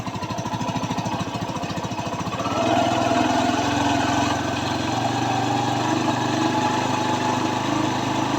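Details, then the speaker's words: TVS Sport motorcycle single-cylinder engine after an engine noise repair, kick-started: even idle thump, then a smooth rise to steady higher speed with no knocks or rattles. Sounds healthy, like new. "Engine की जिस तरीके से sport bike की sound होना चाहिए same उसी तरीके से हुआ है जिस तरीके से न्यू में हमारा साउंड आती है"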